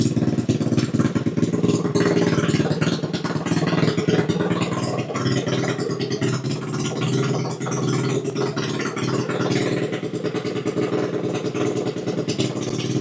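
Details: First start of a ChoppyCub custom build's small single-cylinder 110 pit-bike engine on choke: it settles into a quick, steady, even fast-idle chatter with no misses; normal running.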